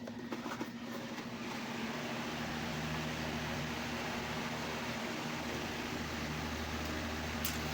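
Steady low motor hum with an even airy rush and no knocking or grinding; stand fan running smoothly.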